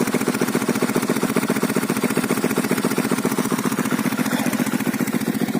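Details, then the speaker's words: Delta 125 moped single-cylinder at idle after no-start/no-compression repair (valves suspected stuck), about 700 g oil added, spark plug replaced, cut-down straight exhaust pipe fitted; even thumping idle with steady exhaust pops, no hunting; runs stable. "Ну отак у мопитка робить стабільно."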